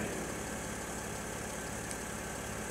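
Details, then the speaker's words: Mercedes GL with an Airmatic air suspension fault, after new parts and a repaired leaking hose. With the engine idling, the compressor kicks in with an even electric hum as the car rises. Normal compressor operation. "okay now you can hear the compressor kick in see the car rising all the new bits are in"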